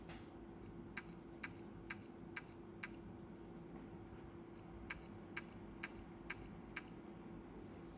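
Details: Toshiba 1.8-inch hard drive, new, worked fine for two days then began making noise: quiet hum broken by sharp clicks about twice a second in repeated bursts of five, and the drive is no longer detected; failing hard drive clicking.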